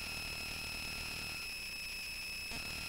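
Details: Bare Conductive Touch Board audio output: constant high-pitched whine with shrill overtones over a faint low buzz; noise worsened when the input power source was changed; owner suspects poor filtering, unconfirmed.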